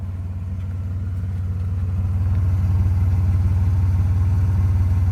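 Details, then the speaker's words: 1995 Nissan Maxima (A32) with intermittent rough idle, heard at exhaust after revving to 7000 rpm temporarily cleared it; even exhaust pulses about 220 a minute with no stumbles, smooth healthy idle for now. "The car is idling nicely, nice and smooth in here. No shaking, and I'll show you the exhaust."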